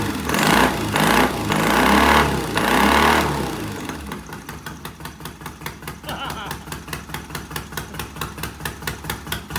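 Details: Vintage Triumph motorcycle, first start after electronic ignition, new regulator rectifier, timing set, wiring fixes, short pipes, no chain fitted: few loud throttle blips then even, regular loping idle, no knocks or misses; healthy normal running.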